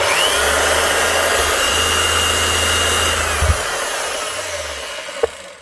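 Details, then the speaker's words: Hitachi H 60 MC hammer, sparking and down on power: rough crackly motor whine that stutters and grinds as it slows—armature burnt out, shorting, heavy brush sparking. "It is running, but it's sparking heavily. You can actually hear whenever it slows down, there's imperfections on the armature."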